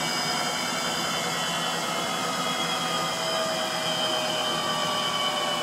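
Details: Frigidaire Gallery front-load washer GLTF1670AS1 on final spin: a loud steady roar with thin high squeals slowly dropping in pitch as the drum spins on, from bad motor bearings.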